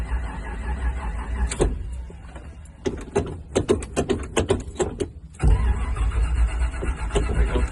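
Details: 1969 Chevy Camaro SS cold start, hard starting and possibly flooded: long spells of steady whirring crank with stuttering clicks between, no catch for seconds; slow to fire, lack of fuel suspected.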